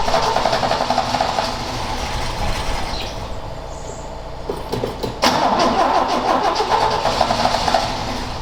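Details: Ford XA Falcon wagon, long parked outside unrun: starter churns while the engine coughs and stumbles in uneven bursts, firing briefly then dying; cranks and sputters but won't keep running, possibly out of fuel again.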